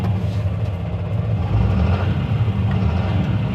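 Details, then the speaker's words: Fendt 936 Vario tractor with Deutz diesel, warmed up, pulling away as revs rise from low to high. A deep rumble with a stumbling, intermittent misfire that smooths out at steady revs; cause suspected to be fuel equipment: misfire when changing revs. "да и выходит в нормальную работу на оборотах хорошо работает на с малых на большие Трои"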